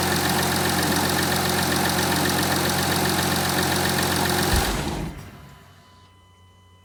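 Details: 2015 Audi A5 3.0 TDI V6 diesel (CKVC, 180 kW/245 PS) after a cold start following about 24 hours standing: steady, even idle clatter, then a clean shutdown; normal factory-spec noise.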